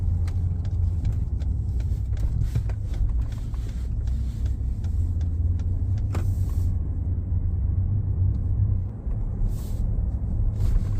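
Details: 2019 Ford F-150 Lariat 3.5 while cruising: deep, steady drone under the road rumble; a front-end hum suspected from the IWE, the 4x4 actuators or the front differential, not confirmed.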